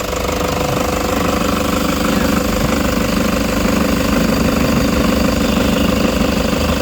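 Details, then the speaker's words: Toyota Hiace, 85k mileage: steady rough rattling buzz from the alternator pulley as the engine is switched off and spins down, quiet on start; worn alternator pulley, to be replaced. "Ayun mayingay na. Okay. Tututok natin to sa alternator pulley ha."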